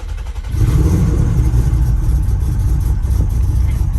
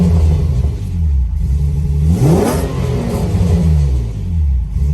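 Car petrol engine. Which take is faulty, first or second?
first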